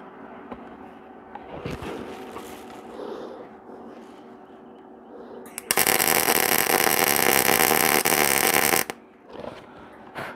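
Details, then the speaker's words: Welding repair of a broken stop on a sawmill log-turning arm, after turning the heat down: steady, even frying crackle for about three seconds without harsh popping or sputter; arc set right, weld holds. "a sound I'm looking for it ain't pretty but it's stuck"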